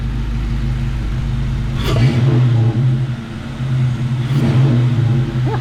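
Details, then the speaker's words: After installing a new intake manifold, plenum, throttle body, air intake, coil packs and serviced injectors (new pintle caps, O-rings), engine warming while coolant bleeds: two throttle blips, deep rumble, loud turbo-like induction whoosh; healthy rev. "sounds so cool oh man it's a little thing is in life everybody wish I had a turbo reminds me of a turbo"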